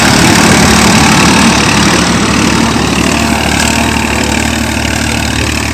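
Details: Massey Ferguson (Massey Standard) 241 tractor after repair; firm, even diesel chug at about 220 beats a minute with no misses or knocks; healthy engine at idle.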